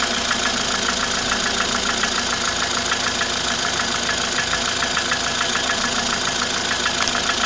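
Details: Ford Fusion at idle: a sharp, regular tick about three and a half times a second rides over the engine; engine knock, cause not identified.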